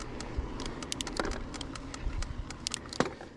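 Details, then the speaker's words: Nireeka Homie full carbon fiber e-bike (about 47 lb), motor off, pedaled uphill: scattered light clicks and dull clunks with no set rhythm; the owner is unsure whether it comes from the full suspension or the carbon frame. "Hear how it's all clicky and clunky. Now I don't know if that's a full suspension issue or the carbon fiber just is a little clunky."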